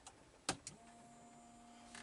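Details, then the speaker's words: Camper water pump, newly wired to a switch in the toilet: switch click, then a quiet steady even hum with no rattle or surging. Pump running normally. "turn a doc can you hear the pump turn it off"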